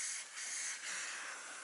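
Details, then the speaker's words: Truck air line: a steady, sharp hiss with no rhythm and no engine underneath, compressed air escaping from a quick-disconnect fitting that no longer seals. A second leak is suspected at the front. "well looks like I just found my leak it's right here it's this quick disconnect sleeking"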